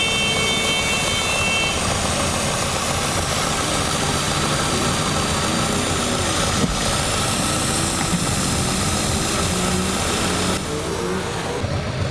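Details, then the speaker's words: Engine with codes P0171 (lean) and P2101 (throttle actuator), short-term fuel trim +34, whole car vibrating: an uneven, shaky idle with a steady airy hiss near the intake from a vacuum leak sucking air, which a smoke test later confirmed as a large leak. "Tal parece que se oye una fuga de vacío de este lado a esto en México le decimos está chupando aire"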